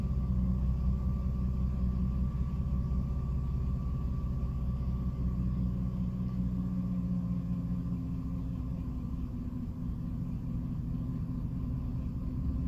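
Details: 2006 Jeep Liberty at idle with the AC off: low rumble mostly steady, then it randomly sags, roughens and nearly dies before recovering; intermittent rough idle stumble, cause unknown.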